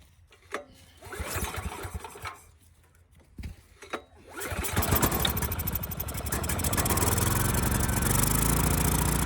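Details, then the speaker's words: Ridgid generator with Yamaha MZ360 engine, about 10 years old, unused 4 years: sharp pulls, catches, builds to steady even run; hard to start, needed choke; adjustment screw was nearly out, suspected vacuum leak; throttle plate still binds. "All right, it ran pretty good. It was a little hard to start, needed choke at first, but this adjustment screw here was turned out all the way."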